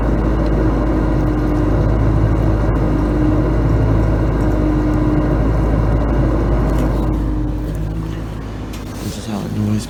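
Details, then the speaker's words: Samsung dishwasher draining mid-cycle, with an air conditioner running in the background: steady, even low hum with faint tones and no knocks or grinding. Normal drain pump operation. "so this is how quiet it is while the dishwasher is running except for the pump it's still uh actually a bit noisy right now"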